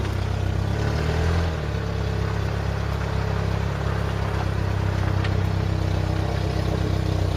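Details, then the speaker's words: Ford Mk3 Cortina, sat in a field since 1983, now running after charging up, filing the points and pumping the accelerator to get petrol through; deep, steady rumble, even beat, doesn't die or misfire; healthy engine. "the car does not want to die and tell you that much listen to this for a motor"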